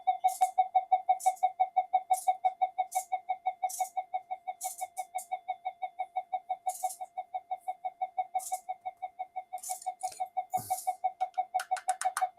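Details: Old Minelab GP Extreme metal detector on the bench; pulsing mid-pitched coo about three beats a second with handling noise, the "alien" sound with no detection depth; flyback pulses unstable on oscilloscope, suspected PLL or power supply fault on the other board.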